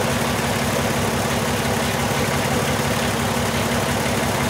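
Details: 2002 Volkswagen Jetta VR6 after injector replacement: steady idle stumbling unevenly with a shaky loping rhythm, still misfiring; scan shows cylinder 1 injector circuit fault, the new cylinder 1 injector tested bad and its connector housing was broken.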